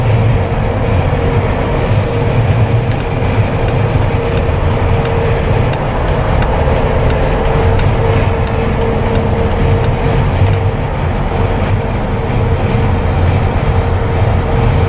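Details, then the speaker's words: Jeep Wrangler with LED light bar after a no-cost whistle fix, at about 120 km/h on the highway: only a steady low rush of wind and road rumble, no whistle or tone from the light bar. "I hope you guys can hear the wind that's hitting the Jeep itself though."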